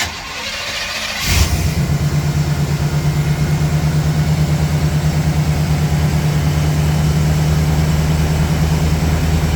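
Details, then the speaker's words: 1992 Chevrolet C1500 with a 350 TBI V8 and automatic, after a new fuel pump assembly and spark plugs: the engine catches at once and settles into a steady, even, low idle rumble with no misses or knocks. The fuel pump was the fault; it now idles smoothly. "but that was ultimately what was keeping it from running so we got smooth idle"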